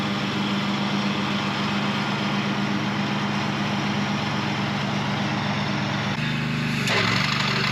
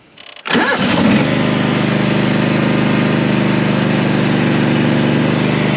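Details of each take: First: Mower with worn blade clutch, before repair, mowing tall grass: cuts fine with deck raised, but when deck drops engine pitch sags and labours, which points to a slipping clutch: engine bogging under load. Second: Mower after deck repaired with sheet steel, blades sharpened and new clutch fitted: engine fires after a brief crank and settles into a steady, even run with no knocks or misses; working as it should.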